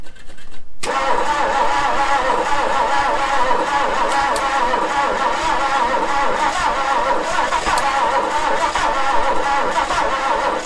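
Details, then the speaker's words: 1966 Ford Galaxie 390 big-block V8 first running after 35 years sitting, new plugs, no gearbox: cranks, fires and runs loud with a lumpy, uneven beat that never settles; rough running. "wow runs like crap but after 35 years runs wow you beauty"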